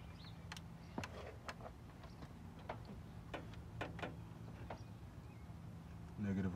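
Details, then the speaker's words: Nissan 350Z that cranks but won't start, injectors tested one by one by feeding each 12 V from a jump box. Sharp irregular ticks over a low hum as each injector fires and sprays, working normally. "look all these injectors are working so that's exactly how you check your injectors to make sure that they're working"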